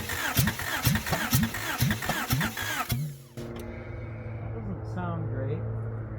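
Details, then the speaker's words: Honda Prelude first start after sitting 4 years, with the cylinder head off and refitted and the exhaust not bolted up: slow cranking, then a lumpy, stumbling run that fails to fire; owner suspects plug wires out of firing order or flooding. "it sounded like it was gonna fire but then it didn't they all in here I don't know if I got the right things in the right holes I forgot to look up the firing order"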